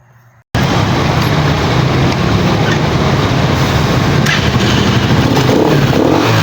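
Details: Pantra-type motorcycle, formerly very hard starting, after converting to a Lihua 4-pin CDI on a primary-type stator: fires up at once and runs at a steady even beat under light throttle, no misfires or popping.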